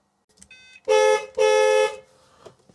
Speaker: Horn works.